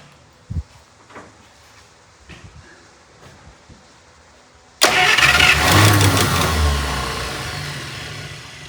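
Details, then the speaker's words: 1951 Buick straight-eight, abandoned restoration, first start after sitting for an unknown time: it fires, then runs with a rapid, even clatter of about four per second over the idle. The valve train is very noisy. "valve train is very noisy."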